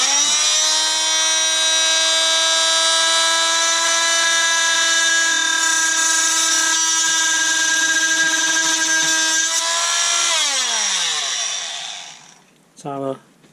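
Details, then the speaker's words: Einhell oscillating multitool, cheap Chinese-made, after repair of a bad brush connection: loud, steady buzzing whine at one even pitch for ten seconds, then smooth wind-down; normal operation. "apart from deafening you it's working great"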